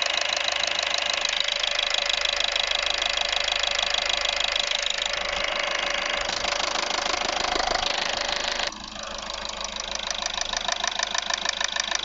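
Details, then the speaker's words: Audi A3 1.6 TDI (CAYC) diesel idling: loud, sharp, regular tick about two per second from the upper engine, apparently toward the rear. Acceleration sluggish; cause unconfirmed. "Ça fait quand même un sacré claquement. Ah, c'est vrai que derrière là, bon, jusque là j'en sais pas plus."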